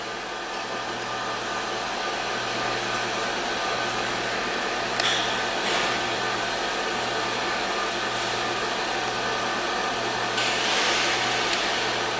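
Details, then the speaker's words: 2016 Hyundai Sonata Hybrid towed in with no start, dead battery and hybrid warning light, now started and running: steady even hum with no surging, knocking or stumbling; normal running, hybrid warning still present. "so i hope you can hear that engine and it just runs last time i didn't even run at all"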